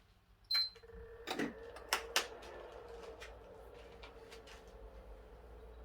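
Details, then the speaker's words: PS3 repaired for shutdowns under load, traced to a faulty NEC/TOKIN capacitor, tested on the bench after repair: one power-on beep and clicks, then a faint steady fan hum with no shutdown; normal power-on and running. "That's great, we've got everything on the go there. It's all working."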